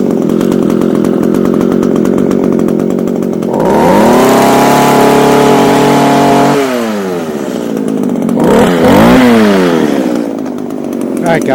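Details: Echo HC2000 hedge trimmer, a garbage find with carb adjusters removed, cold-started after primer bulb replacement: idles with a buzzy rattle, then revs cleanly and drops back. It smokes from a bad oil mix but picks up and runs fine.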